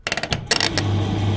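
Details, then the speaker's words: Electrolux/Simpson 39P400 3.5 kg dryer after fitting the missing door striker plate: clicks from the button and door, then the motor catches and settles into a steady low hum; it now starts normally, where before it only ran with the door pushed up. "works like a dream. Whereas before it was only working when I pushed it up. So basically this is working beautifully now."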